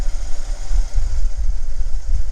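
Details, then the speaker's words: 1982–1992 Ford Ranger at idle right after replacing a failed alternator that had been roaring: low, even rumble with lifters and valves audibly clicking, no squeals or stumbles, amp gauge showing charge. Normal idle after repair. "I didn't realize that the other alternator was roaring so loudly fine I can actually hear the lifters clicking and the valves actuated it's pretty good"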